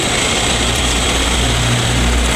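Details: Condura window-type aircon after repair of its failed fan motor, which had left the unit cold but with no airflow; an even, constant rush of air with a low steady hum and no grinding. The fan motor runs healthy and air now blows.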